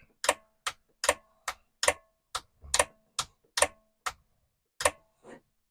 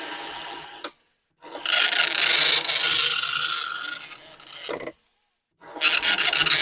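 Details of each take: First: Commodore 1525 dot matrix printer (Vic-20/C64), long-stored, test switch on but not printing: sharp irregular ticks about once a second as the carriage jerks and jumps instead of travelling; owner suspects a tight or misinstalled ribbon, not confirmed. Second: Commodore 1525 dot matrix printer for Vic-20/C64, never tested before, tractor-feed paper, running self-test mode with noise cover on: loud buzzing rasp in passes of about three seconds, short quiet gaps for carriage return; normal printing.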